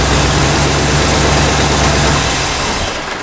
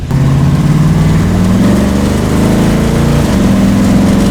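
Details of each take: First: 1965 Cadillac V8 with new carburetor: steady low idle, then after shut-off it keeps coughing and running on (dieseling); traced to a vacuum leak at the brake booster, though brakes feel okay. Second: 1965 Cadillac V8 with a new carburetor after a spacer was added and the idle mixture retuned: it revs, then settles into a steady, even idle. The earlier stumble is completely gone and it runs clean and smooth.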